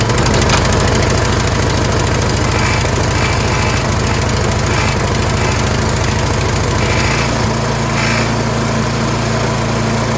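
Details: Troy-Bilt Storm 2410 two-stage snowblower after replacing the carburetor with a new Hipa unit, primed and choked at start: even, steady engine beat holding rpm with no hunting or surging; repair fixed the surge.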